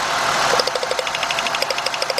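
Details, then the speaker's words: 2000 Mercury Cougar with a misfire, idling while plug wires are pulled one at a time: uneven idle with a regular tick-tick, stumbling harder as each good lead comes off, pointing to one dead cylinder; misfire. "Look at that guys. See the misfire."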